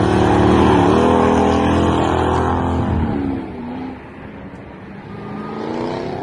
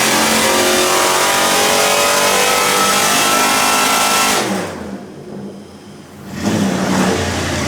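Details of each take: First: Toyota Soarer drift car, 1UZ V8 with M90 supercharger on 10-pound pulley, intake temps above 100°C: loud high whine rising and falling with revs as it passes; supercharger spinning faster than it probably should. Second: Supercharged 1UZ V8 Soarer drift car with M90 supercharger, new exhaust, Haltech tune, on the dyno under load (about 294 wheel hp): loud deep gruff exhaust, brief lift-off then strong pull; normal revving under load.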